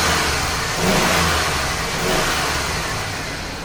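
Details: 1999 GMC Sierra 1500 started after new spark plugs and wires, running 93 octane mixed with old gas. Engine revs with an even rising roar and settles back smoothly, no misses or stumbles. Normal running.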